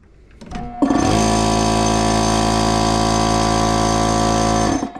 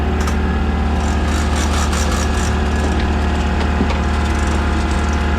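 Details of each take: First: Air compressor on a newly wired shop circuit fed from a 50 A house supply: the motor labours briefly before catching, then a steady deep hum with fast rhythmic pumping. It hesitates on start, and the owner suspects a tired compressor motor. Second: Air compressor running, freshly powered from a new shop circuit: constant low hum from motor and pump, no knocking or labouring, running normally.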